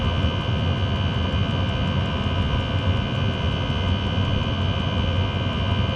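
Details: Chinese diesel heater after quieting attempt: steady even roar with low rumble and constant high hiss, only slightly quieter; owner suspects the motor bearing.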